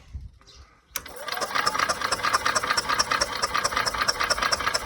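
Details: Yamaha golf cart that sat 6–7 years, on a small temporary battery, in neutral: the starter spins the engine steadily, a bit over two turns per second, but it never fires. Raw gas is smelled afterward; the owner next cleans the carburetor bowl.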